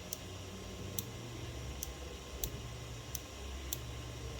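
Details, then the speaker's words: Creality Ender 3 Z-axis endstop switch during bed levelling, nozzle lowered manually until it just touches the bed: sharp light ticks every 0.6–0.9 s over a quiet motor hum; normal endstop switch click. "And when it does, it has to touch the bed just slightly. As you can see, when you hear the click, it touches the bed slightly."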